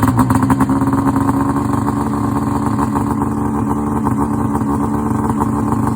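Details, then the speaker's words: Rotax 670 two-stroke in a Ski-Doo Summit snowmobile, started cold at about 30°F after priming and several pulls: fires and settles into a steady, crisp buzzing idle with even firing, no misses; normal cold start. "You got to do this maybe 10 to 20 times, depending on how cold it is. Prime it again. Just fires right up."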